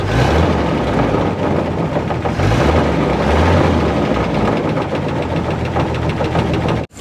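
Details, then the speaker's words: 1948 Chevy pickup inline-six, revived after decades abandoned, radiator warming, no oil reaching the top end and leaking oil: rough idle with a dull loosely regular thump about four a second, felt on oil pan and block; suspected rod knock. "so all things considered I definitely think I hear a rod knocking when I put my hand on the oil pan or the block I can hear a thump or I can feel a Thump Thump Thump"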